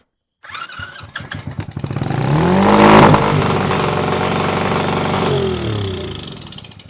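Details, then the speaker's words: Axe-damaged mini bike started on choke with jumped battery: catches after a few chugs, then climbs to a high, steady scream and stays there; throttle stuck wide open and carburetor way out of adjustment. "Ooh, it's wide. They got that throttle in there wide open. But it's running, guys."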